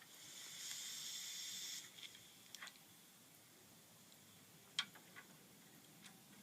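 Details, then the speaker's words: 2006 Honda Civic four-door with leaking AC condenser, before replacement: sharp high gas hiss for the first couple of seconds, then faint ticks, as refrigerant escapes from the condenser. "well you can really hear it leaking out now"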